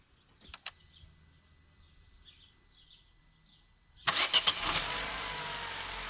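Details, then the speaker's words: Opel Corsa C 1.2 16V (55 kW) petrol, cold after a couple of hours, after spraying connectors: short crank, catches straight away, smooth steady idle; healthy cold start. "So, a couple of hours have passed. The engine is definitely cold. When we sprayed the connectors. And it worked at first."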